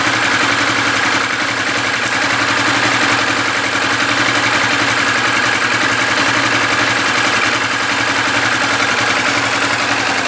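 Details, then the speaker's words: 2013 Yamaha New Vixion single-cylinder engine after rebuild with new block and piston (knock traced to piston and block, not crankshaft); even steady idle beat, no knock or rattle; healthy and smooth. "lelei ma lamolemole le afi, bro, siaki le leo lea ua lelei, uo,"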